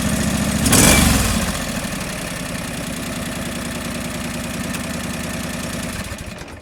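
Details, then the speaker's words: John Deere 445 twin running cold, still warming up, during coil test; uneven lumpy loping beat around three and a half per second; owner suspects cold engine getting too much fuel, running rich, possibly from missing thermostat. "that could be why it is giving it too much fuel and that could be the issue"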